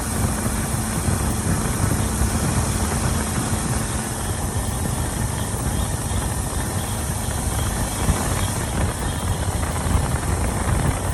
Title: Please help diagnose strange pulsating rattle noise!